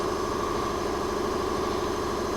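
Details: Briggs 208cc single on a Diamond 25-ton log splitter, a won't-start engine after carburettor cleaning: steady, even idle with no misses, hunting or surging, running normally.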